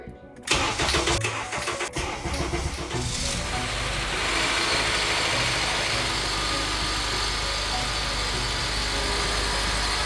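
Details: Crash-damaged 2010 Honda Accord, first start after rebuild and redone timing chain: short crank catches within a second, settles into smooth even idle, no knocks or misses; exhaust manifold smoke is burn-off; healthy start.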